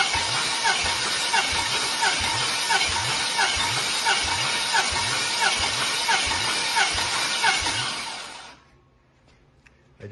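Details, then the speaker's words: 6.0L LS engine on stand, 188,000 km, compression test with plugs out and throttle held open: even rhythmic cranking puffs, about one and a half a second, every stroke alike; compression tight and high, around 179-180 psi. "I'm just going to go through them and and I record uh the compression in each cylinder"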